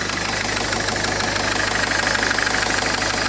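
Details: 2010 Citroën Nemo 1.4 HDi 75 hp DV4 diesel, 240,000 km: steady diesel clatter at an even idle with no misses; healthy idle.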